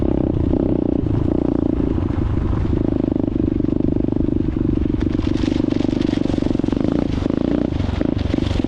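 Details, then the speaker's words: Cold start of a cheap Amazon dirt bike: very loud, steady, rattly idle with even popping exhaust and no knocks or misses; normal cold start, still warming up. "um it's very loud I'll let you guys know I don't know if it'll show up on camera but you'll see [Music] still kind of cold obviously"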